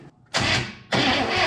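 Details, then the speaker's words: 1967 Chevrolet Impala, 283 V8, Powerglide, sitting since 2005: starter cranks in two bursts with an even churn but never catches; no spark because the ignition points are stuck open, not opening and closing. "Hang on to that. Why are you not sparking?"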